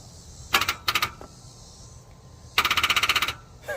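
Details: 2002 Mustang GT that sat for 2 years with suspected engine problems, injector connectors spliced into the harness and wires temporarily hooked to damaged terminals: fast clicking bursts, about a dozen per second, no cranking; starter chatters, engine does not turn over.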